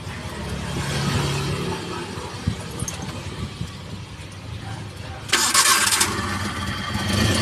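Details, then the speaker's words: Multicab 6-valve engine after alternator fan belt replacement, belt tensioned medium: cranks and catches cleanly, steady idle with no belt squeal; earlier noise gone. "Ayan, yung pag-start niya, wala nang ingay. Di tulad kanina, maingay po."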